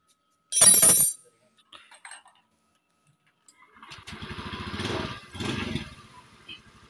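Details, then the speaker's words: Honda Beat eSP scooter CVT after replacing the badly worn roller housing: it starts with a short burst, then revs up and down smoothly with no rattle or grinding. "oke sekarang sudah berhasil sudah halus kembali suaranya Lur ya"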